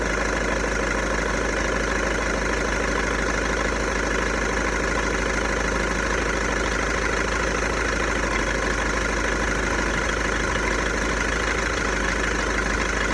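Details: VW Golf 1.6 TDI diesel, 90,000 km, steady idle with an uneven clattery rattle, roughly three beats a second, over normal combustion noise; owner suspects the dual-mass flywheel, not confirmed.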